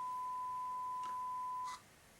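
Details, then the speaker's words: Sangean PS-300 pillow speaker, 1 kHz sine tone from signal generator applied to the plug tip (left channel): clean steady tone for under two seconds then silence; left channel reproduces normally, unlike the silent right channel. "And as I touch it onto the tip and the ring, it should produce a tone through the speaker. So let's try first the tip, left channel."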